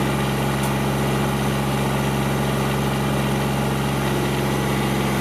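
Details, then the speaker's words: Kubota GR2110 mower running after topping up long-low hydraulic fluid: a smooth, steady diesel drone with a low, helicopter-like hum from the shaft-driven deck, no knocks or misses, and the hydraulic deck lift working. "well I have to say I'm pretty pleased with this it's uh it's running very good you can see all the Hydraulics is working"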